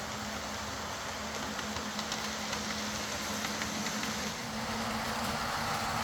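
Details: Old Lima Class 40 model locomotive in BR green, after repair with a completely replaced motorised chassis (original front bogie faulty, wouldn't run): soft even motor hum holding one steady pitch, no surging or catching; quiet, normal healthy running.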